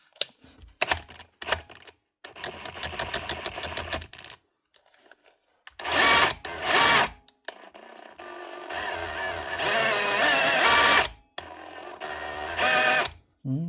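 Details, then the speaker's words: Dewalt DCH273 SDS drill not changing modes or drilling: short motor bursts with a strained, uneven rattle and little hammer blow; switch and motor work, jamming in hammer-drill mode, and the gearbox is dry and lacking grease. "Switch is working and the motor is. It's just something wrong inside the gearbox. As you can hear that trying to hammer."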